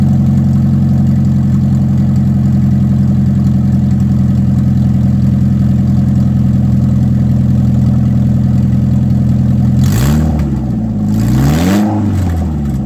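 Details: Ford Escort after fitting a new header, no exhaust beyond it, following a failed inspection for side-exit exhaust: loud, deep, lumpy idle rumble with a raw bark on the rev blip; open header exhaust roar.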